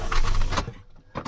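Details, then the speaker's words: Car that had been sitting a long time, with the battery just reconnected. A short buzzing click, a pause, then another click, and the engine never turns over; a sticky starter or bad connection is suspected, and the engine did start on a later try. "A bad connection. Yeah, it sounds like a bad connection to me, to be honest."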